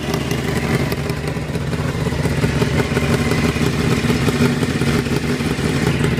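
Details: Honda CBR 600 motorcycle at idle: a quick, light top-end ticking that keeps time with engine speed and cannot be heard under deceleration. Cause unknown.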